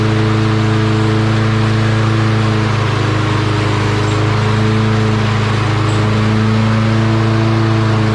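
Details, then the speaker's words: Lawn Boy mower with a Kohler engine, after its carburetor jet was cleaned of rust particles: single-cylinder engine in a steady, even drone with no surging or hunting; it starts and runs normally. "Cleaned it all out, and now it starts, runs no problem."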